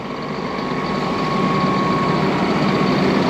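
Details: Rogator sprayer diesel started after replacing a blown hydraulic (hydro) hose, checking for oil leaks: steady, even idle with constant low rumble, no stumbles or misses; running normally.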